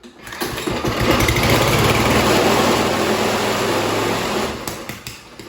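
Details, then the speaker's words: Toro mower with Kohler engine, fired up on a little gas: revs to a buzzy, rough run then winds down; vibration, owner suspects a bent crankshaft or bad mower blade, not yet confirmed. "Second time in a row that I have a bent crankshaft or a bad mower blade, one or the other."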